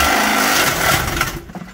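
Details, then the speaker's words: 3.6 engine drained of oil and revved hard as a no-oil test: loud, rough high revving with harsh clatter, then it dies within about a second amid clunks. Oil-starvation knock from bearings seizing. "Stuntman rev it up. Oh it already sounds like there's a monkey in there."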